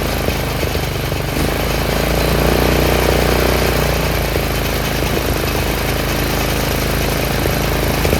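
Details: Troy-Bilt 30-inch rear-engine riding mower after a carburetor rebuild: the clogged main jet was cleaned, and the fault was never the gas. The small single-cylinder holds a steady, even beat without surging. The owner thinks idle rpm could be slightly higher.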